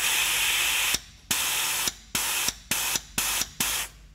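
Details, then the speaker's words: Nissan Patrol Y61 RE4R03A automatic transmission, normally open solenoid bench-tested with compressed air and positive supply applied: short air hiss bursts cut off cleanly as it clicks shut; solenoid seals with no leak. "the clicking of this once it's click it shut down the line yeah that's good because it's not leaking"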